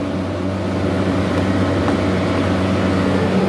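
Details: 45-ton McQuay rooftop unit compressor after a new contactor was fitted and the wiring repaired and checked for ground faults: steady low hum with an even drone and no knocking. An earlier faint noise did not justify condemning it. Normal compressor running.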